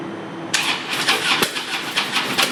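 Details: 2013 Harley Road Glide with a fully charged battery: the starter whirs with a steady chugging rhythm for two seconds but the engine never catches. It randomly fails on the first crank and always starts on the second.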